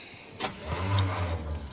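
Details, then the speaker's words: Chevrolet Suburban on a cold 28° morning, described as having shot rings, with a brand-new Napa starter fitted: the starter churns briefly but the engine never fires, the same as before. The owner suspects the coil. Crank, no start. "Nope. That's the same thing she was doing before. [sighs] It's got to be the coil,"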